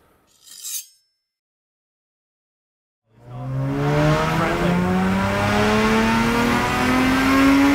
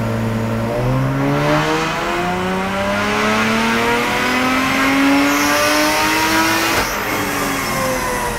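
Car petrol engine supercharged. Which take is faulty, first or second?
second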